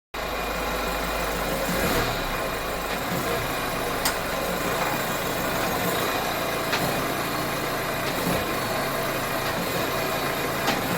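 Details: 2009 Citroen C5 X7 1.6 HDi diesel at idle: steady idle with occasional sharp knock every couple of seconds, not in time with engine; owner suspects a cracked, worn engine mount.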